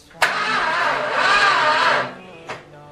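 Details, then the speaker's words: 1978 motorhome 440 big block on an engine run stand for a 1974 Plymouth Cuda, first time cranking on 12 V: the starter labours about two seconds sluggishly and never catches; a weak or dead battery is suspected. "the battery probably doesn't have enough crank we need more power this battery i think is a shitty ass dead battery"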